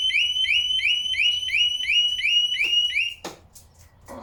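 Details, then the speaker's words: 2017 Harley-Davidson big-cam bike: loud rapid rising-and-falling security siren, about three sweeps a second, tripped by disconnecting the battery leads without first turning the ignition on with the fob present. "as you can hear I set the alarm off when I pulled the battery leads off"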